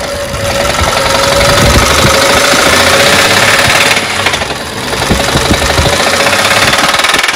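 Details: BMW engine at idle: rapid, sharp knocking roughly four per second from inside the engine; cause undetermined.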